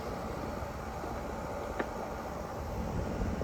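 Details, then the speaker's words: 1993 Panasonic Quasar 8,000 BTU split-style window air conditioner running on high cool, with a quiet steady fan and compressor hum and a faint rattle; it vibrates a little but runs well. "I mean, it vibrates a little bit, but it ain't bad at all."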